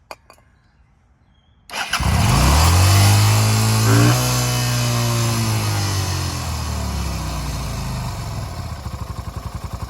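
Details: Engine catches and settles to a fast idle, the speed surging briefly as cleaner is sprayed on a big vacuum leak.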